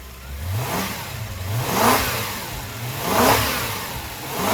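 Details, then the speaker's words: Toyota Soarer V8, after fuel tank drained and removed for rust and misfire repair: three clean throttle blips, revs rising and falling smoothly with even firing, no stumble or misfire; normal revving. "i think you gotta be happy with that yeah yeah well i was expecting leaks no no you know what i mean"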